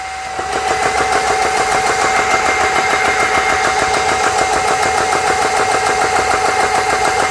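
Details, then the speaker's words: GX CS3 high-pressure compressor after repair, first run with a dead head set at 4500 PSI: quick, even beat at about three strokes a second over a constant whine. Sounds healthy; normal running. "Sounds good so far."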